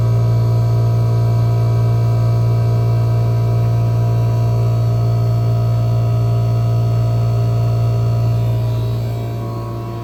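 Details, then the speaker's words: 1974 Friedrich Quietmaster air conditioner on low fan with about 47°F supply air; owner may fit a longer cap tube. A deep, steady hum holds constant and drowns out the fan: loud compressor hum, cause undetermined. "And it's loud. You can hear it from a little bit away. It sounds like a Bristol."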